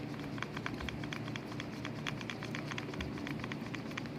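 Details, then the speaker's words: Ford Focus CV joint, removed from the car and turned by hand, gives irregular gritty clicks and crunching from wear inside the joint; the nearby bearing seemed fine. The noise would be louder while driving. "so it doesn't sound very loud but the noise is there and you can imagine while you're actually driving the car how much louder it sounds"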